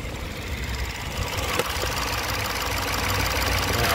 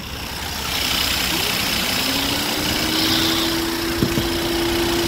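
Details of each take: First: 2022 Peugeot 3008 (code P2074-62) after the oil cap fix: quiet, steady, even idle with no hiss, stumble or knock; engine now running sweet. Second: 2022 Peugeot 3008 with code P2074 idling with an uneven, wavering note and faint hiss while the fans run at high speed; a big vacuum leak from the missing oil cap causes the rough idle.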